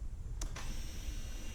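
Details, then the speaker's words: 2008 Harley-Davidson Road King Classic, 96 cubic inch engine, 6-speed, about 17,350 miles, sat over 4 years: quiet hum and faint clicks at key-on as fuel pump primes normally; display shows low fuel. "the fuel pump pumping it says are low the reading this bike has 12 o'clock"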